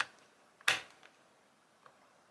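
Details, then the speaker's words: Worn wall light switch toggled by hand: a few thin, weak clicks with only a subtle snap or crack and under 1/8 inch of travel before it switches on, suggesting poor contact that can arc. "Let's see if we can hear the arcing. I can hear a very subtle snap in there, or a very subtle kind of a crack in there. But I have hardly no downward motion whatsoever."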